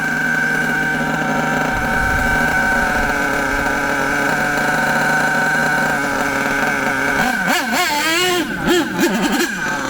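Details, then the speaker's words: HPI Savage nitro RC monster truck engine, high-speed needle leaned out too far: high thin buzz holds then wavers and hunts up and down. Lean fuel mixture; fix is turning the needle a quarter turn anti-clockwise for optimal. "Anyway, we're going to start going too lean now, and you'll hear what it sounds like. Not good. Notice that sound. It goes too lean, not enough fuel."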